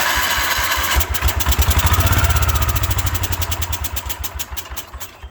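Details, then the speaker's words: 1972 Wheel Horse Raider 12 lawn tractor after 15 years in a shed catches on carburetor cleaner spray, popping in uneven bursts about four a second then fading; runs but smokes heavily, owner unsure whether fuel pump is bad or slow to prime. "Well, other than smoking like a freight train, it runs pretty good."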